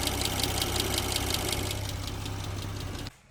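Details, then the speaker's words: 2019 Porsche Cayenne S 2.9 V6 twin-turbo (EA839, same as Audi RS4/RS5 B9) at idle: quick, even ticking near three per second above the engine note; suspected failing rocker arms, which can damage the camshaft. "And because it's similar, we of course have the same rocker arm issue on this engine. Well, that's what I believe it will be from the noise it's making."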